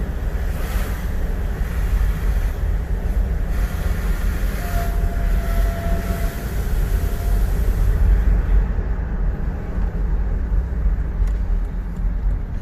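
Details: Volvo XC90 2.4 D5 diesel under acceleration: a thin steady mid-pitched whine rises over road rumble, then fades; it occurs only when accelerating, alongside a strong diesel smell inside and some hesitation. Cause unclear.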